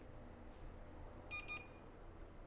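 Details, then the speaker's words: Multimeter continuity check on a Western Digital 2060-701444-004 hard drive PCB, testing corroded capacitors around the 5 V line: two short high beeps a moment apart as one side reads to ground, likely coupling capacitors; no short to ground found. "so one side should be one side will be on ground because they're probably coupling capacitors to smooth out so no obvious short to grounds"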